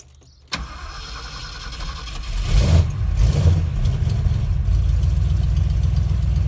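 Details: 1971 Ford crew cab with rebuilt 352 FE V8 (new cam, lifters, bearings, rings, oil pump, 2-barrel carb, manual choke), started on a warm day: brief cranking, catches at once, steady even idle, good oil pressure.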